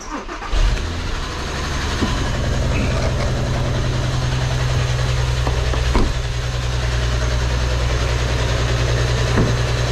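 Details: 2008 VW R36 with too much oil added and one ignition coil missing: engine catches and settles to a steady idle with a light metallic clatter on top; suspected worn timing chain tensioner, timing chain kit to be replaced.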